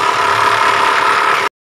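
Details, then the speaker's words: Mitsubishi Triton 4D56 diesel at idle: rough, gravelly snoring growl from the engine front; timing belt found slack, suspected due to a non-original aftermarket tensioner/adjuster, which is replaced. "Ya sepertinya ada di bagian timing belt kita akan buka kita lihat apanya yang bermasalah"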